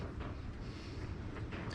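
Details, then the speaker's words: Fiido D2s e-bike, over 3 years old, about 5000 km. The removed one-piece cassette bottom bracket, turned by hand, gives a rough, gritty rumble with no clean spin tone. The bearings are worn, with a lot of play. "Yeah, that sounds horrible. It has done a good few miles, mind you."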